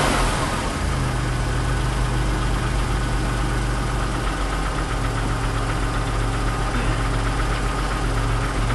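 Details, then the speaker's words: 1991 Chrysler LeBaron convertible, fuel-injected, cold start after nearly 7 months sitting through a Minnesota winter on a new battery: steady, even low rumble, smooth rhythm, no knocks or misses; healthy cold idle. "oh that was easy enough but i love fuel injection let the electric fuel pump get some gas up there"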